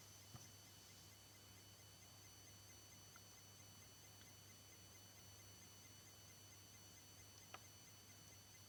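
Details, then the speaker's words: PS4 switched off but plugged in, phone held behind the console: very faint, steady low hum with thin high-pitched whines from the back. It stops a few seconds after unplugging; the owner suspects power still flowing, unconfirmed. Finding: faint electrical buzz while powered off. "And that was the slight buzzing noise. Seems like there's still power flowing through it."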